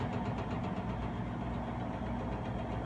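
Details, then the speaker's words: Speed Queen front-load washer during spin: uneven knocking and clicking over a steady low rumble; knocking during spin. "hey mommy that washer makes a little clicking noise you hear it got knocking noise"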